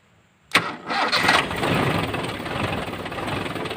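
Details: Toyota Kijang carbureted engine after replacing a dirty air filter (clogged filter had made it hot, rough, thirsty); starter catches at once into a smooth, steady idle with no misses or rattles, heat after long drive gone; normal start and idle.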